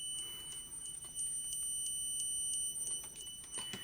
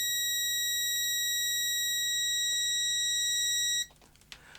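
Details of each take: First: Low-cost multimeter on continuity test: thin high beep breaks into rapid irregular clicks instead of a solid tone as the buzzer chatters while sampling, a flaw that can give misleading readings. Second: Parkside DM300 C3 autoranging multimeter on continuity test with the leads shorted: a steady, unbroken high-pitched tone for nearly four seconds that cuts off cleanly. The continuity buzzer works properly.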